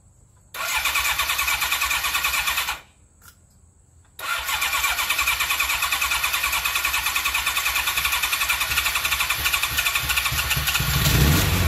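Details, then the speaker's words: 1995 Kawasaki KZ1000P police bike, 72k miles, first start after sitting 3 years, fuel in the oil: catches after short crank, runs rough and lumpy though all four cylinders fire and pipes get hot; carbs to be cleaned. "I felt all the exhaust pipes they're all getting nice and hot and of course it runs rough but I know I'm getting spark and running all four cylinders"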